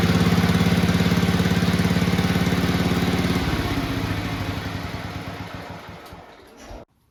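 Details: Red 1962 Bolens Ride-a-matic garden tractor, start and drive test after restoration work: quick, even firing beat that revs freely, then gradually slows and cuts off; runs very well at varied rev levels and sounds healthy.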